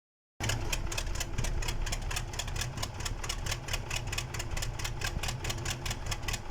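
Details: KamAZ diesel engine on its first start after a major overhaul, running on the stand: even, steady clatter with regular firing and no knocks or grinding. Normal running.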